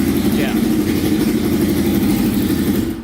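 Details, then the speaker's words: Kawasaki 650cc shifter kart with air filters fitted, once warm (it was slow to start cold): the engine catches quickly and settles into a steady, even idle with no misfire; a healthy warm restart. "once it's warm it right back up that's always good and I think that's pretty good for right now"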